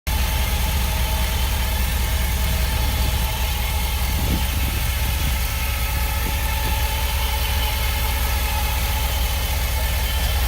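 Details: 2016 Ford F-250 idling with deep steady rumble and a thin, constant whine from the bell housing area.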